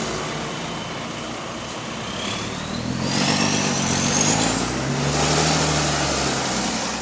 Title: GAL WVL464 Rocking it's Exhaust Leak